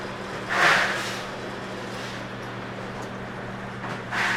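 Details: Zeco fryer oil filtration machine, pump backflushing and priming the paper filter: constant low motor hum with a couple of gurgling surges; normal pump operation.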